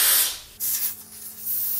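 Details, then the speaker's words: Old propane heater hose unthreaded and blown through with air: strong hiss of air rushing through in gusts with no choking; hose passes air freely and is good. "Yep, she's blowing, so that hose is good."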